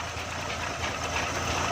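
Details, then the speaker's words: Suzuki FX 796cc car that wouldn't start or rev because petrol and gas were mixing: started on petrol with the gas main valve shut behind. It now idles evenly and steadily with a light hum, no hunting or stumble. "देखें दोस्तों, एक चीज़ पर हमने स्टार्ट किया है, गैस पीछे से हमने बंद कर दी है, तो ये दोनों चीज़ें मिक्स हो रही थी।"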